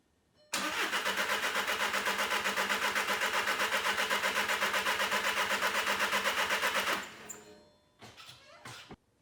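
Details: 2014 Volkswagen TDI, CJAA diesel, tuned, 175,000 km, cranks with no codes: steady starter cranking about four beats a second for six seconds, never catching. Crank no start, found caused by a broken turbo wheel blocking the intake.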